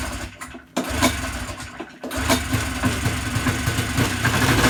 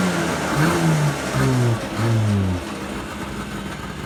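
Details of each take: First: Yamaha Enticer 300 two-stroke snowmobile, unknown year, 120 psi per side, reportedly ran last winter, first start after sitting using sprayed fuel. Catches after a pull, buzzes steadily several seconds, then dies. Engine runs briefly on sprayed fuel then dies. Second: Yamaha Enticer 300 two-stroke snowmobile, year unknown, 120 psi compression per side, reportedly ran last winter; after revival it catches and revs up and down in crisp bursts, then settles lower; healthy, normal running and revving.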